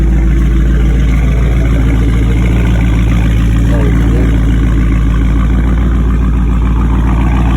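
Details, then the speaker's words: Engine-swapped Dodge Charger with 392 Scat Pack V8 at startup and idle after repair: deep, steady burble with even beat, no rattles, ticking or weird noises from the exhaust; sounds healthy. "No rattles. Hear that thing? Sound way better. No weird noises, no none of that shit."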